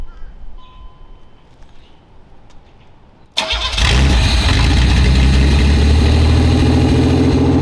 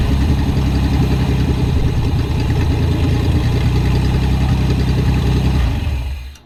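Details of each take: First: Barn-find Fiero after engine teardown, cold start injector leak fixed with doubled O-rings and holding pressure: quick crank, catches and settles into a lumpy, uneven wavering idle; still not running right. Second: Barn-find Pontiac Fiero after valve-cover teardown and doubled O-ring fix holding pressure: steady even low idle with no misses or knocks, then switched off cleanly; running healthy.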